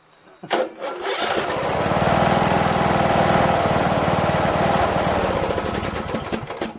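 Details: Rebuilt spare Briggs 17.5 HP engine repowering a Yard Machines lawn tractor, synchro balancer counterweight links replaced: it starts and runs at a fast, uneven chug with backfire pops; owner suspects the carburetor or a solenoid blocking fuel flow.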